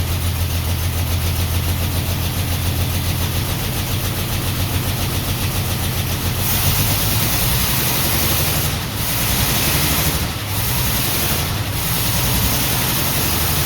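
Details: 1949 Ford F1 six-cylinder, rebuilt engine after sitting 20 years, choke partly on, fuel pump on, no working water pump: lumpy, uneven idle with a stumbling rhythm and background hiss; missing on one cylinder.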